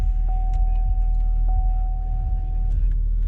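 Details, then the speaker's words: 2011 Chevy Cruze 1.8L Ecotec after water pump replacement, idling with heat on max to reach operating temperature: smooth low rumble with a brief steady chime, no ticking or knocking; normal idle. "let it idle and get to full operating temperature once the vehicle gets to operating temperature let it idle for about 10 minutes"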